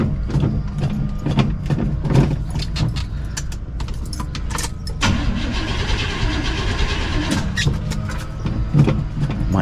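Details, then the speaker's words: Box Chevy convertible that sat all summer: slow, uneven cranking bursts with no catch, engine never fires; battery is dead and needs charging. "need to charge that battery up a little bit. It's been sitting all summer. 3 days later. Battery's toast. So she's not gonna fire right now."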